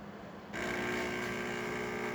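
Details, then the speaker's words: Jura Impressa E8 after a full tune-up with a new calibrated grinder and rebuilt brew unit (new gaskets and O-rings, lubricated): a double espresso, the brew unit clicks into position, then the pump gives a steady, even buzz with no rattles. "now you're going to hear the Brew unit go into the Brewing position it's gonna start pumping water out"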